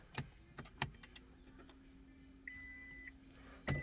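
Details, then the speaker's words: Toyota Prius after fuel pump replacement, about two gallons of gas added: after a few clicks a low steady hum runs about two and a half seconds with dash chimes, normal fuel pump priming. Car then would not start without a scanner. "so now we should hear the fuel pump i did put in a couple of gallons about two gallons of gas"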